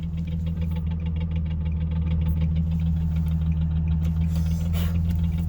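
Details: Nissan 370Z with STILLEN supercharger: deep rhythmic knock, about three to four per second, over a steady idle, coming and going; seems to rise with rpm and stops around 3k rpm, possibly louder in rain; suspected engine, cause unknown.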